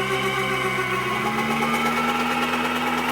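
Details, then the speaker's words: Turbocharged subcompact tractor (Johnny X) driving a Baumalight KR30 PTO generator at its limit, frequency below 50 Hz with dryer on: engine sags and strains, pulsing down and up, nearly stalling; engine lugging under generator overload. "I shut the dryer off. It was making a weird noise, like it's pulling it down and back up, down and back up. And that's what we experienced. Once in a while, it would almost kill the tractor."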